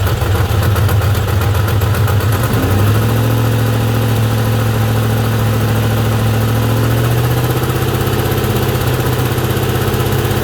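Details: 2003 4.6 L 2V V8 at startup: drops from a brief rev to idle, with a light, fast, uneven clacking tick over the low rumble. Valvetrain-type ticking at idle.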